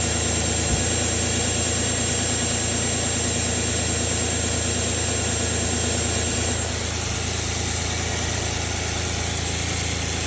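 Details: Audi A6 4F 2.4 L engine at idle: steady, even four-per-second beat with a hissy, whiny top end; abnormal noise present, cause unclear.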